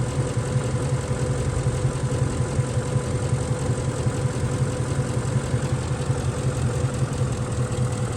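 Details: Ford F-150 with intermittent misfire on cylinders 1 and 6 (P0356, P0351), engine shaking at idle with an uneven loping beat and stumbles; injector 6 shows no voltage or current during the fault, cause unconfirmed.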